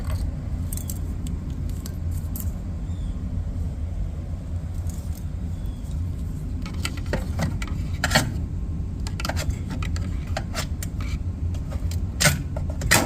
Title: Samsung dryer making noise #appliancerepair #appliancehelp #samsung #dryerrepair